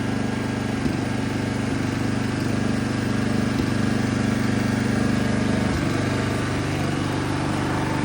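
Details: Toro Turfmaster mower after a carburetor replacement: even, steady drone at constant speed with no misses, surging or stumbles. The earlier no-start is confirmed fixed by the new carburetor. Normal running.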